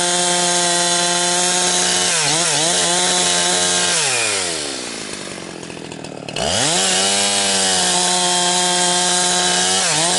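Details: Husqvarna 362XP Special chainsaw with Walbro carb, tuned safely rich, cutting firewood. It screams near full revs, then stumbles and gargles as the pitch sags and recovers. It four-strokes at the rev limit around 10,000–10,500 rpm because the wrong ignition coil is fitted.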